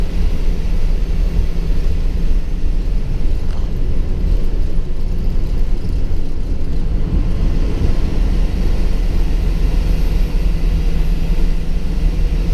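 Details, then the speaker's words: 2006 Ford E450 bus with 6.0-litre diesel, driving: steady deep diesel drone with a whirring fan roar cutting in and out from the computer-controlled electric fan clutch; normal. "They've got a computer-controlled fan clutch, so that's why that cuts in and out. It depends on if it needs the extra cooling or if it's getting enough from the airflow. So you'll hear that back and forth driving around. It's normal on these engines."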